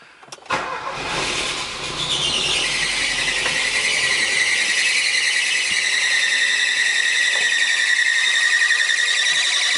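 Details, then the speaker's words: Chevrolet Corsa 2000, first start after the injection wiring harness was repaired: a loud shrill squeal rises and holds over the idle from the slipping alternator accessory belt, which needs attention; lifters may tap at first start. "Gritando a correia. Isso aí depois não resolve. Tem que dar mais uma atenção na correia de acessório aqui, ó."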